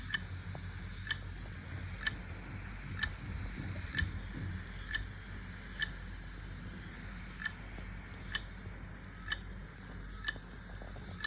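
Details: WD 4 TB My Passport portable hard drive: sharp, evenly spaced clicks about once a second over a faint hum. The head/arm keeps retrying to read the platters, the drive eventually stops spinning, and it is never detected by a Windows laptop.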